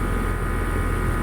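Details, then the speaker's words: Old York condensing unit, condenser fan drawing 1.1 A: low, steady even hum with no rattle or scrape; runs very quiet, fan motor healthy. "the York is nothing running this machine is super quiet it's just as quiet as the ones that I put in today"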